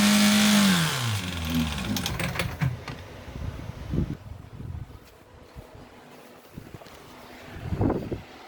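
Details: Renault Clio engine with no oil and no coolant after 5 minutes at 5,000 rpm: high strained note sags quickly and dies abruptly, then stray clunks; engine locked up, seized from oil starvation.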